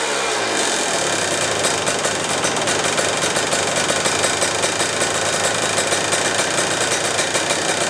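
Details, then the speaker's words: Yamaha YZ125 two-stroke, first start after full rebuild, air and idle screws adjusted: crisp ringing buzz holding a steady idle and picking up cleanly on throttle, no misfire or hunting; runs healthy, holds the idle. "This bike runs, sounds amazing, holds the idle, everything is good."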